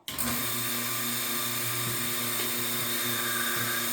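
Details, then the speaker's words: New Capralite Showman/Herdsman milking machine base, pump test on a table before fitting hoses and pails: starts instantly, steady even hum, bright constant tone, slight table reverb, no knocking or rattle; normal vacuum pump running. "You should have exhaust coming out here, and this is exactly what it's supposed to sound like. It's got a little reverb from the table it's sitting on, but otherwise it sounds perfectly normal."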